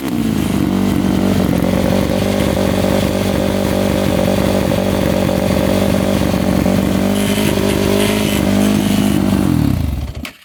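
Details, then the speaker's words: Yamaha YFZ450 quad single-cylinder gives a loud, high, hunting idle that wavers up and down before shutting off. Fuel flow checks good, and the owner suspects the carburetor slide is catching. "the idle is hanging up a little bit sometimes it goes down sometimes it goes up I'm thinking the slides getting caught in the carb"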